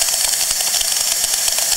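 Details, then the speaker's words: Vintage 1950s/60s junkyard refrigeration compressor that spat a large amount of oil at first start: hissy, spitting run with irregular sputters and an oil mist; owner unsure whether the oil discharge is normal or a fault. "Let's give this a try. Yes. You can hear that a lot of sputtering and producing somewhat of a mist as well."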